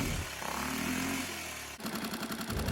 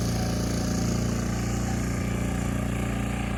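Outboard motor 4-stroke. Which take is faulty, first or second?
first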